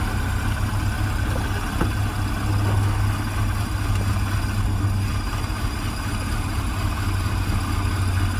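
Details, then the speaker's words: Recovered stolen Mini: petrol engine idling with an uneven, lumpy beat rather than a smooth hum. A battery light is on and the owner suspects a failed alternator; the jump box apparently fell off. "you hear the way it's running yep what is that really i am afraid so"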